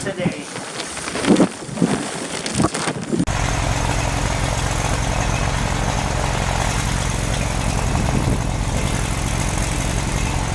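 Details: Farmall Super C tractor at -5°F on a battery maintainer, started with starting fluid in the carburetor: after some handling noise it settles into a steady, even low rumble with no knocks, a healthy cold idle.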